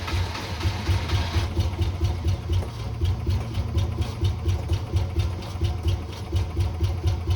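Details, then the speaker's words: 1980 Rover SD1 V8, first run after about 18 years off the road: a lumpy, uneven low beat of about two pulses a second. Rough running because the mass air intake pipe had come off. "Kind of sounded like I do when I first get up in the morning. But I realized that the mass air pipe came off, so it's a miracle it was running at all."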